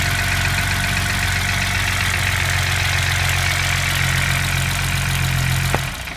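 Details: BMW M20B25 inline-six after intermediate shaft repair: smooth, even idle with a steady low hum, no tapping or misses, until the engine is switched off. Normal idle.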